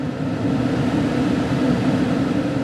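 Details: 2013 Dodge Dart with check engine light from bad HVAC blower motor, during blower speed test on high: even, steady rush of air, smooth low hum, no flutter or surging; blower running cleanly at this point.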